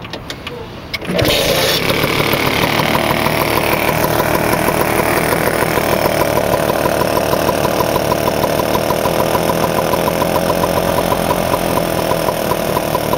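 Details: Vespa scooter two-stroke with freshly rebuilt head, restarted after cooling down, on 3–4% break-in oil mix so it smokes a little more: quick start, then a steady, slightly uneven burble at idle with no knocking; normal idle.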